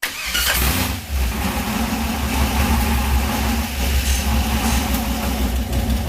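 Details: 1979 Camaro with a junkyard 6.0 LS V8 swapped in to replace a blown 6.0 from a 2500 Silverado. This is the first start after reassembly. The engine catches and settles into a steady, even low rumble with no knocks or misses, a healthy idle.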